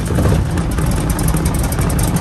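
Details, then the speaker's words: PA-18 Super Cub Lycoming O-320 aircraft engine's first start after reassembly, mixture rich and primed: clean light-off into a deep, even drone with no misses or knocks, and oil pressure comes straight up. "There we go, we have light off. Oil pressure's come straight up, that's good."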